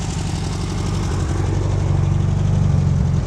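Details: 2010 HMDE trike with air-cooled VW motor, runs good: steady, even low burble at idle, about four pulses a second, no knocks or misses; healthy idle.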